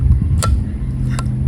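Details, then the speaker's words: Adventure motorcycle throttle after lubricating a stuck throttle: two crisp clicks about three-quarters of a second apart over low engine rumble as the throttle snaps cleanly shut, returning normally. "see that snap that's what you want you want to snap back"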